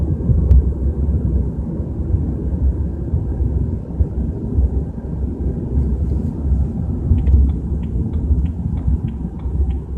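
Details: BMW 320i at 30–40 km/h: deep steady low rumble under road noise, rising and falling with the drive; cause not pinned down.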